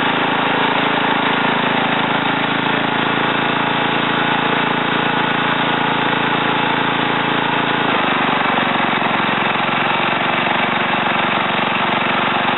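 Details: Ariens TA20A Trans-a-matic rototiller after engine rebuild and plate-clutch repair, carburetor untouched, tilling in a wooded area: small single-cylinder petrol engine chugging evenly, note steadying and dropping slightly as it takes load in soil; normal running.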